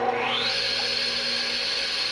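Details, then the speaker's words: 1996 Craftsman radial arm saw, cleaned-up used find, starting for first cut through the fence: motor spins up in about half a second to a steady high whine, smooth with no rattle or drag; healthy run. "all right so we'll fire it up and get to listen to it i think it sounds great"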